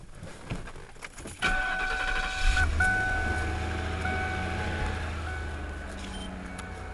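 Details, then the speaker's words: Car air suspension (owner says it 'falls asleep', rear sagging on both sides, front fine): a steady low electric hum with a faint high whine as the pump raises the car back up; the compressor works. "how does that sound i should put an air compressor on this thing just goes all the way back up"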